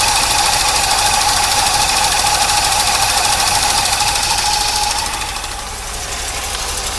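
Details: 1982 Corvette C3 with throttle-body fuel injection, left outside a decade, just restarted after a fuel system overhaul and running poorly. Fast, light ticking about three per second over a steady idle with a thin whine; throttle bodies popping.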